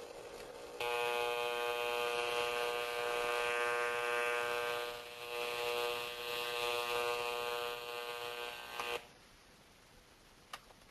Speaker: some of us may be familiar with that sound, and it's normal for some transformer, in most transformers, to hum like that, if you want to call it humming.